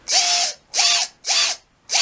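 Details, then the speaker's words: Redcat 550 brushed RC motor from a Gen 8: four sharp sliding high-pitched screeches of about half a second each when letting off or at certain throttle points, coming and going; a lack of lubrication on the shaft ends is suspected. "you hear when you let off or at like a certain point of the throttle it'll make this loud Screech it's uh it's it's pretty frustrating and it uh kind of hurts your ears almost it's a real distinct noise"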